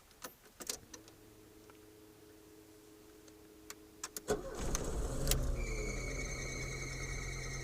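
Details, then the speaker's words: Car on key start after a periodic service: engine catches with odd chattering whir over cranking; mechanic suspects the timing belt was not replaced or tensioned correctly, unconfirmed. "motor Espero que tenha dado para direito esse barulhinho pelo que me foi informado provavelmente a correia dentada que não foi foi trocada e não foi apertada corretamente"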